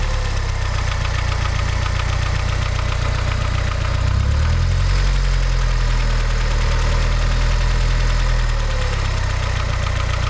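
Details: Mazda 626 GD at idle: steady idle with a rapid, fairly regular knock about three a second over the engine note; engine knock, cause unknown.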